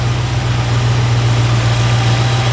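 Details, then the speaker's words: Freshly installed 302 V8 in a 1969 Ford Fairlane, started and warming up to circulate coolant: deep, steady idle, even low rumble, no misses, ticks, hiss or leaks; runs exactly as it did on the dyno stand; healthy. "Just runs nice. Yeah. As it did on your stand. Yeah. Runs exactly the same."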